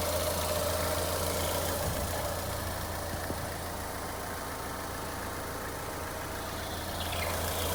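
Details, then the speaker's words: Ford Fiesta engine idling with thin continuous squeal over engine hum, not alternator belt or steering; cause found to be worn water pump, replaced. "Fala galera beleza vocês virem no vídeo o barulho que tava fazendo né ringindo e não era correia do tornador não não era nem questão da direção era essa peça aqui ó"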